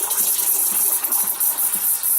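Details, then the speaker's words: Breville espresso machine steam wand frothing about a third of a cup of half and half: steady loud hiss with gurgling bubbles, even and unbroken; frothing normally. "and I just let this steam blow through the milk or the half and half and what it will do it will continue and it will expand uh milk or in this case half and half"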